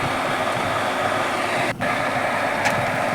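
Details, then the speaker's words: Water pump motor that only hummed, after replacing the failed capacitor with a 2 µF capacitor: steady even whirring run with no stalled hum or labouring; motor starts and keeps turning normally, now fixed. "এখন মোটরটি কিন্তু ঠিক হয়ে গিয়েছে।"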